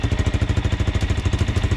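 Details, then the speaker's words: 400 motorcycle (Suzuki or Kawasaki) that wouldn't start, after repair and a ride: even, steady exhaust beat at about twelve pulses a second with no misses or knocking; clean, normal idle. "mean it's running perfect i took it for a ride"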